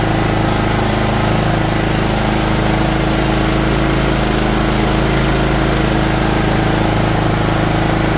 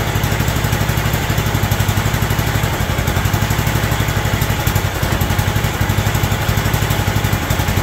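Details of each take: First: John Deere LT160 Automatic mower after years outside, running from a fuel funnel while creeping forward and back: slow, slightly uneven single-cylinder lope with steady exhaust beat, a "Harley idle"; idle speed set too low, to be turned up. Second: John Deere LT160 Automatic mower revived after years outside, running from a fuel funnel: even steady single-cylinder thump, no hunting or misses, holding speed; healthy idle.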